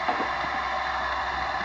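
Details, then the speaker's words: 1976 MGB leak-down test, listening down the pushrod opening: only a soft, steady hiss, so little air passes the piston rings. "there's not much hissing going on there"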